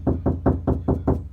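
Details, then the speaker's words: Knock test on bare car door before applying KilMat sound deadener: six sharp knocks about every 0.2 s ring hollow and boomy with no damping; no sound deadening. "now, I mean, this is just plain hollow."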